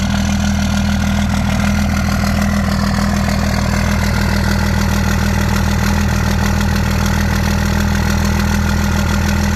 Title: 2nd gen misfire